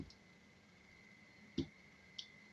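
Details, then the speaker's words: Relay in a feedback-loop oscillator slowed by a capacitor: a few sharp clicks half a second to a second apart in a quiet room; slow, normal on-off cycling instead of rapid oscillation. "but because of the effect the capacitor is having we're not getting that rapid quite so rapid oscillation uh that we were"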